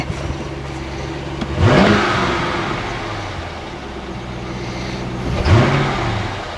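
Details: SS (automatic) with side damage at auction, just started: two clean blips from idle, revs climb quickly and drop smoothly with no misses or knocks; engine pulls well, though a bad noise later in gear suggested transmission damage.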